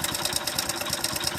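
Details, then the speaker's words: Sharp metallic tapping at about nine beats a second over a worn-out motorcycle engine's idle; the mechanic identifies this "kirru" sound as the connecting rod, mixed with bearing and timing-chain noise. "కిర్రు అని sound వస్తుంది చూసినా, అదే అనమాట మనకు engine లోపల connecting rod sound అనేది."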